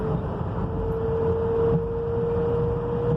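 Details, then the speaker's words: 2005 Ford Crown Victoria Police Interceptor P71 while driving under load: thin steady constant-pitch whine from the rear end over road rumble, gone when lifting off throttle; rear gears suspected, not confirmed. "it's making this little wine I'm sure it's probably gears or something like that but it's to the rear end and when it's under load you can hear it"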